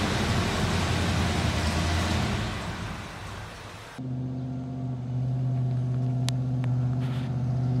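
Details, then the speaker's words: 1972 Chevy K20 that had not run in 15–20 years, with Marvel Mystery Oil added, being driven down the street: rough roar settles into a steady, even low drone with a clear hum, running normally. "Hey guys, keep in mind this thing hasn't ran in 15 years, maybe 20 years, so it's pretty crazy. We put some Marlboro Mystery Oil in it, got it fired up as you can see, and now he's driving it down the street."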